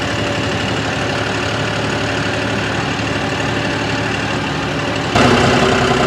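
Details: New John Deere 5060E tractor diesel with 27 hours: even rapping knock about four times a second over the engine note, occurring above 1500 rpm; cause unclear.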